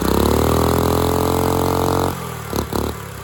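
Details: Dumpster-found go-kart engine, missing valve-cover parts, running unloaded: uneven lumpy firing about four beats a second, then stumbles and dies; rough running, owner suspects timing and probably valve lash.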